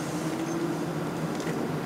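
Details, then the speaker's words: Toyota Prius 2 on the school-to-home drive in electric mode, engine off, only a soft steady hum and faint road hiss; it can stay electric up to 49 km/h; normal operation. "alors là on est en mode électrique avec la Prius depuis qu'on est parti on entend pas le moteur et jusqu'à 49 km/h elle peut rester en mode électrique comme ça"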